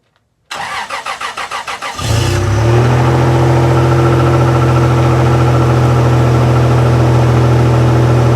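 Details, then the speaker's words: 1997 Toyota Tacoma cold start at about 20°F with snow on truck: about 1.5 s of quick even cranking, then catches cleanly and settles into smooth steady cold idle; normal. "that's where the cold start sounds like and on the 97 Tacoma in 20° weather"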